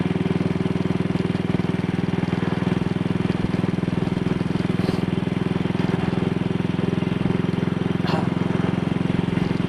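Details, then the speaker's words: Single-cylinder motorcycle with Wassell Evolution (Amal Concentric Mk 1 type) carburettor, after a twisted, dislodged needle clip was refitted: steady, even drone at 45–50 mph indicated with no stumbles, pops or surges, which it had the day before. Running smoothly. "Well, this would have been accompanied by all sorts of jerks and pops yesterday, so I'm quite happy about this."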